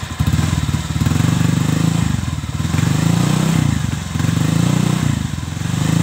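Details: Honda Vario 125 (old model) stock CLD racing-style exhaust, before the glasswool packing is replaced: repeated throttle blips give a thin, raspy, buzzy note without bass; worn silencer packing.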